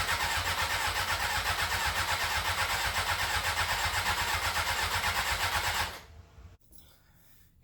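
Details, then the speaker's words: 2001 Honda CBR600 F4i after valve adjustment and reassembly: starter cranks steadily about six seconds, no fuel pump hum, never fires; pump not priming, reportedly needs headlight plugged in. "okay moment of truth i'm not hearing the fuel pump kick on them"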